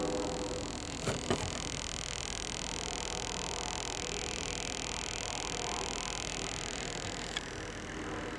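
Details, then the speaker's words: 1955 RCA Victor KCS96 black-and-white TV from an abandoned house, after repopulating the vertical tubes; faint steady hum and hiss with a high whine, no crackle or buzz; vertical deflection running normally. "I repopulated the vertical tubes down there and I can hear the vertical running"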